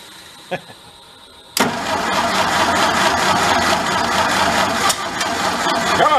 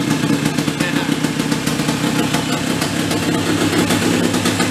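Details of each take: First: Vintage large sprinkler-blowout air compressor engine that stalls under load when building pressure, after tune-up, choke barely closing, hand over intake: brief crank, then catches and runs loud and uneven, labouring on too much choke before choke is reduced. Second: Small petrol engine on a vintage sprinkler blow-out air compressor that stalled when building pressure: steady even beat pulling the compressor, no stumbling or dying under load; normal running.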